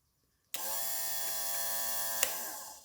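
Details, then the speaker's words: LS swap engine run stand, wiring bench test with no fuel yet added: electric fuel pump switched on, steady high whine held about two seconds then winding down. Normal electric fuel pump run. "Now if I flip this switch, my fuel pump should run. And it does."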